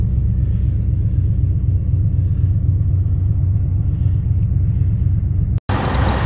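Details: 1992 Buick Roadmaster, TBI 350 Chevy V8, 169,000 miles, started after sitting months in snow at -25 nights, needed battery swap: deep low V8 rumble at even idle, steady beat, no miss or knock; running fine after cold start.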